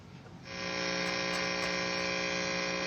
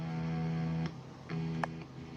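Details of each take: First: Left-handed Fender Stratocaster plugged into amp and turned up: loud, steady mains buzz with no guitar signal, input jack not working; cause is the output jack's ground wire broken loose. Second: Left-handed Fender Stratocaster after input jack repair and reconnecting the grounding cable: a few low notes ring out cleanly through the amp with no hum or buzz.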